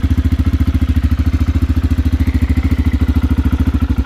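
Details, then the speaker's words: Aprilia motorcycle just after engine install, running once carburetors filled, slight exhaust smoke from pipe sealer: steady, even putt-putt at about three and a half beats a second, no knocks or misses; normal healthy idle. "And that, ladies and gentlemen, is the sound of success."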